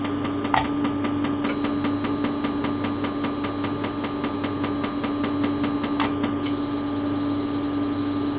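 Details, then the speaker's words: Quantronix Excel Dual Pulse 2000 holmium laser at 0.5 W, 5 Hz. The flash lamp ticks sharply at about five per second over a constant hum, then the tone shifts as it faults out with an error; the shutter was found slightly raised. "Now you can hear the flashlight pulsing. So now I should be good to go."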